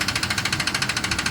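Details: Ford F-150 engine, recently bought: sharp, regular metallic ticking, roughly eleven per second, over a steady run; knock of unknown cause.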